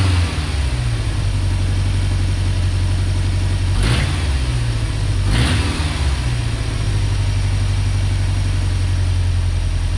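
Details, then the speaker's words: 1990 Ford Ranger with a reman long block, after refitting a PCV vacuum line that had caused a massive vacuum leak: low idle with an uneven lope and sharp exhaust puffs. Misfire suspected. "let's see what happens with a little RPM it's a little better still not quite right"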